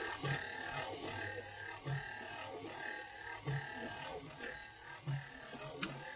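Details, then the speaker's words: Factory electric windshield wiper motor newly installed on a 1955 Chevy Nomad, replacing the vacuum motor, blades off: even whirr with a soft thump about every 1.6 seconds as the linkage sweeps; runs normally after the cable was freed. "foreign motor works good don't it you can hear it working and uh mission's moving just I don't have the blades on it right now okay"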